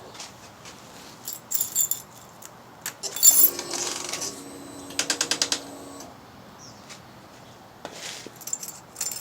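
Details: 2011 Suzuki GSX-R 600 with aftermarket exhaust, at key-on: faint motor whir and a quick run of about six sharp clicks from under the fuel tank area, a blocking exhaust servo that also triggers the FI light.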